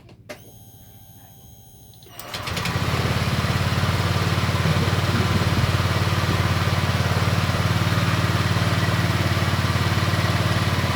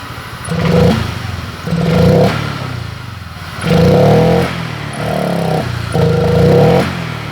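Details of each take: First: Honda Vario 125 LED after a resistor was fitted in the EOT sensor connector: the starter whirs and the engine catches in about two seconds, settling into a steady, even idle. Throttle response is now better than before. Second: Honda Vario 125 LED scooter with hesitant, heavy throttle response: repeated blips, pickup sharpens when extra fuel is sprayed in via the air filter, showing fuel starvation.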